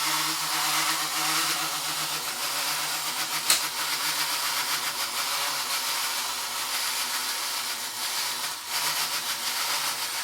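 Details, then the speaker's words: Vintage tinplate clockwork shunting train toy, fully wound and released: steady high whirring buzz with no change in pace as the spring unwinds, motor spinning freely while a slipping makeshift drive belt barely moves the train; sounds ominous. "And as you can see, not much happens at all. And that noise it's just made sounds quite ominous."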